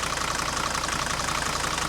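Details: 1980 Mercedes W123 300D diesel from a scrapyard, sat a while, idling during oil-cap blow-by test, cap just dances, passing: even, steady diesel clatter with regular pulse and no irregular knocks; healthy.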